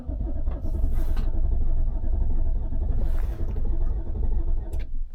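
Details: 2015 Infiniti QX80 no-crank/no-start during an ECM swap with immobilizer trouble, cranked on full battery power: a heavy, sluggish, uneven slow crank that drags without catching. The owner says it sounds bad, and a battery maintainer was added afterward. Slow cranking.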